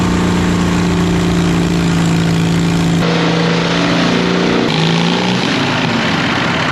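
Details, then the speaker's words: 1939 Caterpillar D4 diesel (D4400 engine) running after rebuild and pony-motor start, at nearly a mile altitude: loud clatter with an uneven, stumbling beat. One cylinder misses now and then; fuel leaks also noted. "it runs it moves it's got a Miss in the engine"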